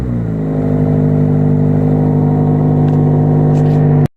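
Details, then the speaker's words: Infiniti 4-cylinder with its rusted-off muffler, odometer reading 82,000 miles (owner says it's inaccurate), no coolant and a failing alternator: deep, steady idle drone with no misses or stumbles; smooth but very loud from the missing muffler. "This engine is loud. The exhaust is loud. The muffler rusted off on it, so it's honestly one of my favorite sounding 4 cylinders I've ever heard."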